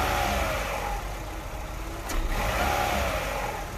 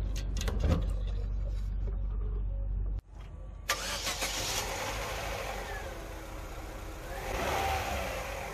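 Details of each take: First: Petrol engine with a bad fuel pressure regulator revving sluggishly and unevenly at low rpm, lagging and misfiring on acceleration and running rich; stuck particles found inside the regulator, which was replaced, giving instant acceleration. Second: Petrol engine after replacing a fuel pressure regulator that had stuck particles inside: steady idle, then clean, prompt revs with no lag or hesitation.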